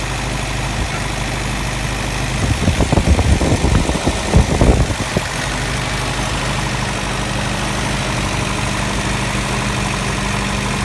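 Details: Engine after installing a manual fuel pump and regulator, set to a little over 2 psi: smooth, steady idle with an even low hum and a brief clatter of handling partway through, then it settles and runs cleanly.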